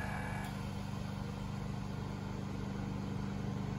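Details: Lincoln Mark VII air suspension in diagnostic mode: compressor running with a steady low electric-motor drone and even buzzing hum while raising the right front corner; working normally.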